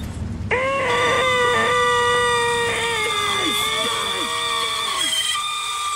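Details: 1999 2G Mitsubishi Eclipse Spyder GST convertible top: loud, shrill wavering squeal from the left (driver's) side drive gear while the top raises or lowers, about 75% of the time; owner suspects a broken pin in the gear drive mechanism, unconfirmed.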